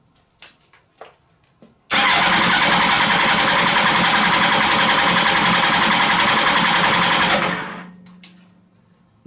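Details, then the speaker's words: Motorcycle engine in mini trophy truck build, compression test, throttle wide open: fast, even cranking about three and a half beats a second, no stumble; cylinders read about 180, owner believes good. "all right let's test cylinder number one first throttle wide open 180 that's good that is a good sign 180 that is good"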